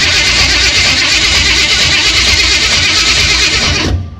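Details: Small-block Chevy in a Caprice demolition derby car, just after replacing the starter that broke in a derby, in Park on jack stands: fast, even cranking whir for about four seconds with no grinding or clunks; replacement starter cranks normally.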